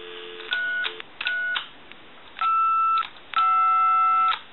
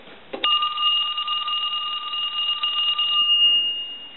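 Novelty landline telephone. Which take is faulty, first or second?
first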